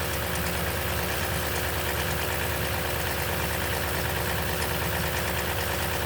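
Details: 2010 Toyota Tundra at 165k miles, 5,500-mile oil changes throughout its life, on cold start: a dense busy rattle with uneven tapping about three a second at idle, suspected timing chain noise.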